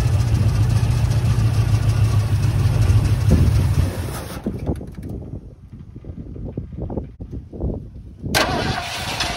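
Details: 1979 Ford F-150 Custom tool-body truck, sitting since 1999, restarted after fuel poured in carb bowls: cranks, catches, deep uneven rumble, then sputters and dies; owner suspects stuck-open carb float giving too much fuel.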